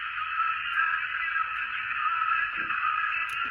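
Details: 1970s Zenith Royal D14 Owl promotional transistor radio, revived after a transistor replacement, at full volume: a clear station plays steadily through a small tinny speaker with no crackle or dropouts, so it is receiving normally.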